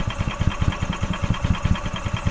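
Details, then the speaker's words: 2012 EZ-GO TXT gas golf cart with Kawasaki engine, crank-no-start. The fuel pump is pumping but fuel isn't getting past the carburetor, which is suspected to be blocked. Steady starter chug of about five to six strokes a second, never firing. "all right so it's not getting fuel's not getting past the carb I'm I'm willing to bet the carbs blocked without question"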